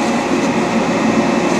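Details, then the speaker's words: Dainichi Model H lathe, spindle just started on its DC drive; ways in great condition. Smooth, steady whirr with an even tone and no knocks or rumble: normal spindle running. "let's start the spindle very smooth running machine ways are in great condition you can see that"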